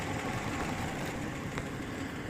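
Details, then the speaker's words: 2011 Dodge Ram 5.7 Hemi V8, idle, recorded near the passenger side: a light, fast tapping buried in the idle, which the owner says worsens when driving. Cam and lifter noise suspected, cause unconfirmed. "I'm making this video in reference to the tapping sound that I hear coming from the passenger side putting it falling close down here you can actually hear the noise"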